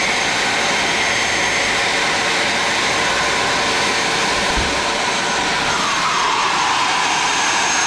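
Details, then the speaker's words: Magnet drill after repair with new field and switch: smooth, steady high-pitched motor whine with no grinding or rattle, only a brief pitch sag near the end; the motor runs healthy and powerful. "Okay guys, it's seems like 2 brake drills, magnet drills working very well after we replace the field and repair bearings. And this one replace fields and switch. This sound work very powerful."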